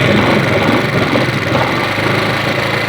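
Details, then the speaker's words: 2018 bike that won't exceed 30-40 speed: just started, an uneven ticking clatter from the cylinder head over idle; valvetrain noise from worn camshaft lobes and rocker arms, to be replaced. "इसके हेड में इतनी गंदी सी आवाज़ आ रही है और ये मोशन नहीं पकड़ रहा है, इसका मोशन इतना डाउन है।"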